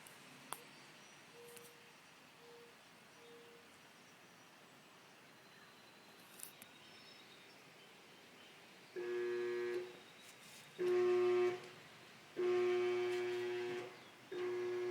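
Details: GE dryer that won't start: after a quiet start, short repeated humming buzzes while the drum and motor never spin; fixed by vacuuming built-up lint and dust from inside, which reportedly can stop internal switches from working.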